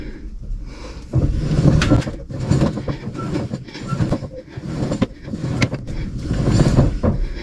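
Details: Finnish ATV with the rear lifted, power on and 4WD engaged; one front wheel turned by hand with the other held. Irregular dull clunks and rattles come from the front driveshaft or its cup, whose splines are stripped and slipping.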